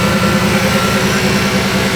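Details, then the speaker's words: Supercharged 7.0L HEMI stroker V8 with Whipple supercharger, first start after double radiator fabrication and coolant bleeding, electric water pump running full, thermostat still closed: deep, even cold idle with no knocks or misses. "Clear, teman-teman. Mesin sudah hidup. Walaupun memang termostat belum kebuka, jadi biarkan dia mengalir."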